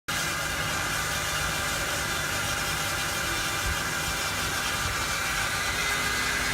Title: Loud whining sound 2003 Honda Accord 4cyl 120k miles